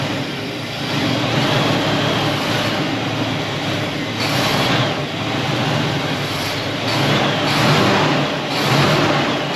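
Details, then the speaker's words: 1974 Buick Apollo with Buick 350 V8, performer intake, after sitting a long time: engine fires and settles into a rough uneven run with occasional stumble; slight misfire. "Well, that was easy. Design went all by herself. It's missing a little bit, but for as long as it's been sitting, pretty much started almost right up."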